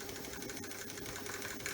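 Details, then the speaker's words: Axial SCX24 Nightcrawler Jeep RC crawler, high-end steering servo with built-in 5V 1.5A BEC (8.4V, 104 oz-in noted), wheels off before adding an 8.4V BEC: quick whirring buzz sweeping back and forth, smooth, no grinding or stutter; normal servo sweep. "and then we've got a very beautiful Servo is a five volt BEC built in at 1.5 amp so that's the that's the speed and that's not slow"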